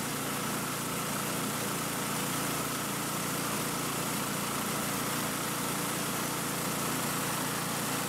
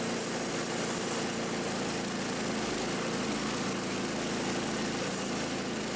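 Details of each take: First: Ariens Compact 22 snow blower repowered with a Predator engine, checked with a small-engine tachometer: steady, even high-pitched governed drone at 3500 rpm, within ±100 of the 3600 rpm spec, no hunting or surging; normal governed high-speed run. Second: Ariens Compact 22 snow blower repowered with a replacement engine, at full throttle measured on a tachometer: a steady high drone at about 3,500 rpm against the original Subaru spec of 3,600 ±100, slightly slow, so the governed speed screw needs backing out slightly.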